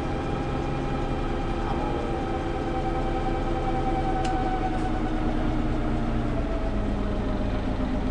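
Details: Preserved GM Buses MCW Metrobus Mk1 5120 (SND 120X) diesel, 2012 running day: deep idle clatter with slightly uneven, wavering beat, no steady rhythm; known idling problems, bad diff, sometimes won't engage third gear; rough idle.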